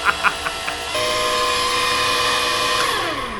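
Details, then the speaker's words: Free flood-damaged scissor lift (EWP) under new remote control, test lift after confirming the brake works: a few clicks, then a steady electric whine from the hydraulic pump that holds and sags in pitch near the end, sounding strained. "It's copping a flogging, the old girl. Maybe she just doesn't want to play today."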